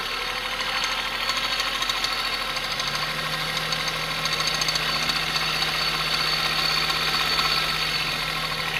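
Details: 1993 Geo Metro engine at idle after a Seafoam treatment: steady idle with a faint ticking knock over the hum; knock present, cause unconfirmed.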